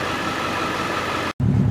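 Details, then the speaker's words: 2001 Ford F250 7.3 Powerstroke diesel after dropping the tank and changing in-tank screens, inline screens removed: steady even idle, deep smooth beat, no misses or knocks; runs normally without them. "but the ones that go in line we took them out and it still runs"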